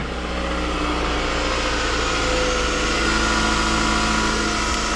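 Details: Car with a no-crank no-start, tested with a jumper cable run from the battery to a solid point on the engine as a temporary ground. It starts and settles into a smooth, even idle with no misses, confirming a bad ground.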